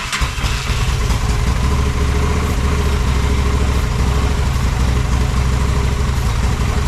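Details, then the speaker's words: Honda Shadow motorcycle (possibly 650) that sat almost a decade, old bad gas, on choke with fuel sprayed in: loud, slightly uneven low idle held only on sprayed fuel; suspected fuel starvation, cause not confirmed. "well I could sit there and spray it all day long and keep it running like that"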